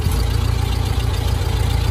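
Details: 1914 Ford Model T, modified with an added electric starter, hand throttle only with no gas pedal: deep, low, even chuffing at idle after starting on battery, steady beat with no knocks or misses, before switching over to magneto.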